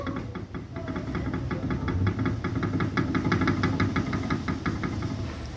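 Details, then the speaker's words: Chevrolet Prisma/Onix front left (driver side) shock absorber removed from car, pumped by hand: quick uneven clacks about three a second from play in the piston rod, causing suspension knock despite no oil leak. "Ó a folga que tá na haste, ó. Ó. Ó. Ó o barulho."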